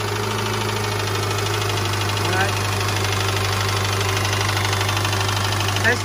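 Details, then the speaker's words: Subaru horizontal boxer engine, cold idle: light, uneven tapping about three per second heard all over the engine, fading on revving; piston slap from cold, smaller pistons, considered normal, unlike rod knock. "the Pistons are a little they're colder so they're a little smaller so so as they heat up they take up that space that makes it slap"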